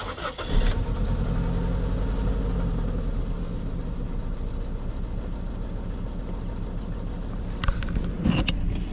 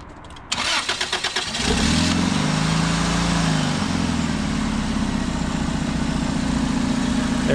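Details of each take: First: Car with a persistent misfire, first guess failed: lumpy, uneven idle that stumbles and shakes, with RPM fluctuating; no spark heard on one coil, a dead cylinder from a failed ignition coil pack, replaced with junkyard parts. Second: Engine cranks, catches and settles into a steady, even idle with no stumble or misfire after a persistent misfire was fixed by replacing the failed ignition coil pack with a junkyard part.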